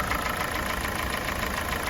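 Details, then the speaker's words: Kia Sportage 4G 2017, G4NA engine, 265,500 km, warming idle: quick, even ticking knock never lets up; owner says unlike the piston knock heard at cold start, source unknown. "Вот этот стук покоя не дает, но не похож он на поршневой. Поршневой был в самом начале."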